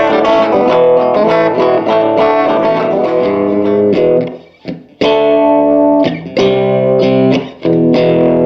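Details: 1949 Gibson BR-6 tube amp, final tone demo after servicing, cleaning and repairs, played with a Fender Strat single coil: full chords and single notes ring out with no hum, crackle or dropouts. The amp is working properly.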